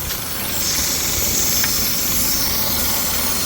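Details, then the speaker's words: 2013 Suzuki Swift (Pakistani model) with code P0134. Loud steady hissing over the quietly running engine from air leaking at the EVAP vacuum valve and its pipe. Vacuum leak. "ये leak है, इसकी वजह से air leak हो रही है।"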